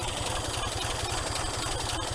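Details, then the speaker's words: 1961 GMC K1500 4x4 first run after sitting 15 years, new carburetor, coil and electronic ignition: slow low idle with even firing pulses, no knocks or misses; normal warm idle once warmed up. "Well, after it warmed up a bit, it started sounding pretty good."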